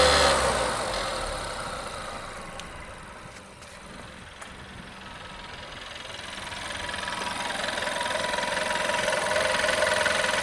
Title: Vw 1.4 TSI metal ticking sound after chain replacement